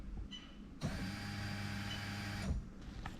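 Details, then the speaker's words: Lexus LS430 3UZ-FE VVT-i on a newly built harness, fuel pump run by a scan-tool active test with the mic near the pump. A relay click, then about two seconds of steady, even low hum before a clean stop; normal fuel pump operation. "okay so hopefully you heard that but that's all good so that's the fuel pump done"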